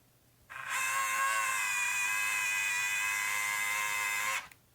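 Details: Nikon P900 camera lens motor makes a harsh, buzzy grinding whir for about four seconds; noise appeared suddenly.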